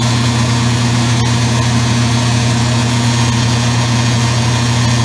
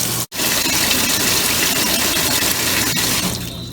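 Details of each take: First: Circa-2003 Maytag Oversized Capacity Plus top-load washer, final high spin after rinse: steady low hum and buzz, the motor's vibration rattling the control panel. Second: Circa-2003 Maytag Oversized Capacity Plus top-load washer set to warm on color cycle: steady hiss of fresh water pouring into the tub, no strain or hammering; normal fill.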